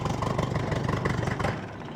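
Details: Holley Sniper 1100 EFI on a Bombardier Bombi, after exhaust manifold crack fix, warming up, idle set at 900 RPM: slightly lumpy idle then engine fades and dies, second cut-out after about 1:15; cause unknown, owner considers new coil.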